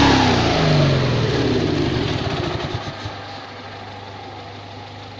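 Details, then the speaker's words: 1972 Invacar Model 70, Steyr-Puch 493cc air-cooled flat twin with CVT, recommissioned after 14 years in a field: revs fall away to a steady, even idle, no knocks or misses; engine runs very nicely. "sounds good enough to me loading the exhaust to pieces again but I think we can say that engine runs very nicely"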